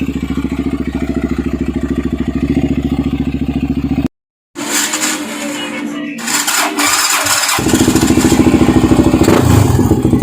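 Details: Yamaha TTR 250 with a suspected charging fault: steady starter-driven chugging at about three and a half beats a second without catching; cranks but won't start, cause not confirmed.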